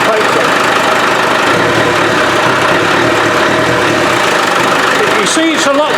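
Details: Land Rover 300Tdi diesel after pump replacement, intake not yet refitted: steady even idle with low rumble and intake hiss, no knocks or squeaks; squeak fixed, engine healthy.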